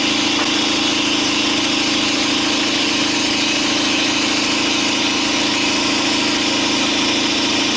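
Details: 2012 Chevy Silverado, 5.3 L active fuel management engine, at loud idle: a faint steady tapping about three a second under the engine drone. The cylinder 4 intake valve lifter has collapsed and is not pushing its rocker arm.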